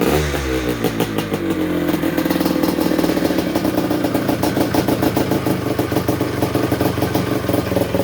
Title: 1973 Yamaha MX250 start up after rebuild